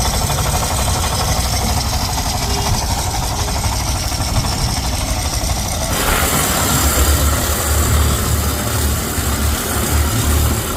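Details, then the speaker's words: Suzuki Burgman 125 scooter at about 75–78,000 km, stopped on the road and running very hot: idling with a rough, rattling low knock from the rear, from the crank, which needs replacing. "इथून मागून कसातरी आवाज येतोय जाम बेकार असा आवाज येतोय समजत नाही काय झाल आणि एकदम गरम झालाय"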